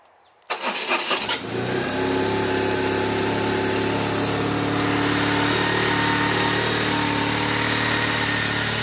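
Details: 1997 BMW R1100RT that had died after 30 seconds of running and then would not start, recorded with the fuel gauge and fuel pump working again: brief crank, catches, and settles into a smooth, even, steady idle that sounds healthy.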